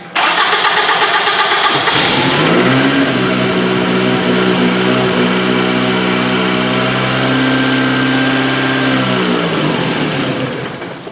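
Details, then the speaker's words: 2007 Toyota Camry, crank no start after quitting on the road, spark present: on starting fluid it catches sharply, runs a few seconds, then fades; lack of fuel, fuel pump suspected but not confirmed. "That's it. Needs a fuel pump. Now do not go and make that mistake. Do not go and just order a fuel pump at this point. We know it has a lack of fuel, that's why it doesn't run."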